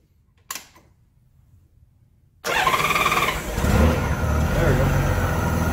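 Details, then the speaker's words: Honda GL1500 Goldwing after carburetor reinstall and fuel hose replacement: brief crank, clean catch, steady even idle during leak check before idle adjustment; everything looks good. "Not bad. Everything's looking good."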